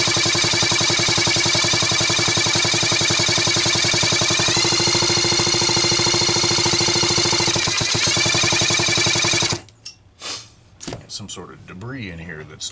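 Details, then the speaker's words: Homelite Super XL-925 chainsaw, capacitive discharge ignition being diagnosed, spark test while cranking; crisp, even snapping ticks about three a second, ignition sparking properly. "altering the spark path but I can sure hear it's snapping"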